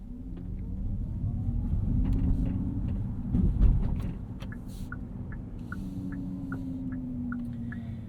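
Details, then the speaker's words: 2025 Hyundai Ioniq 5 N, twin-motor 601/641 hp EV, driving in normal mode at or below 23 mph: a low, droning, irritating synthetic pedestrian warning tone is projected outside the car over cabin rumble. This is normal operation. "driving this thing at 23 mph or below is one of the most deafening experiences you'll have in an e it is a very very sort of irritating pitch and that's projected outside the car so you don't run anyone over I suppose"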